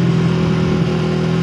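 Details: Sniper 150 motorcycle free-revving just after fitting an aftermarket 4S1M TPS to replace the failed stock sensor, which had caused fuel-starved running: steady, even drone at raised revs, no misses, popping or rattle; healthy RPM response.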